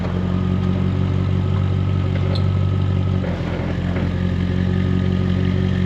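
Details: Jaguar XK8 V8, just revived from a no-crank, no-start condition and showing many error messages, battery at 12.8 V. Smooth, low, even idle at constant speed with no stumbles, ticks or clatter; running healthy.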